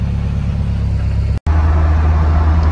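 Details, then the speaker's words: Toyota MR2 turbo four-cylinder, test drive after rebuild, gently driven: steady even low drone with no knocks, ticks or whine; drives as good or better than ever, normal. "Right, so just took it for a little test drive, and yep, all is as good or better than ever."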